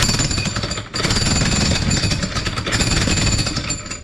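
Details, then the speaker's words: Hitachi jackhammer after the piston was cleaned and regreased, giving strong, rapid metallic blows with one brief pause. Hammer working properly. "so that's good news this Hammer should work okay"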